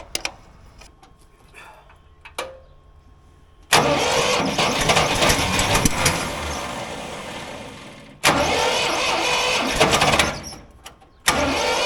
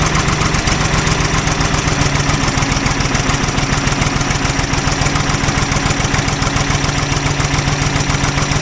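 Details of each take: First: Old Ford loader backhoe, sat over a year (likely 5+ years unused), first start after revival: starter cranks briefly, engine catches and runs on its own without starter fluid, cuts off and restarts cleanly; runs fine. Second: Old Ford loader backhoe, long unused, idling unevenly with a pulse about 3.5 times a second and irregular pops; mechanic suspects it isn't getting full gas flow, as a fuel line connection leaks gas badly; cause not confirmed.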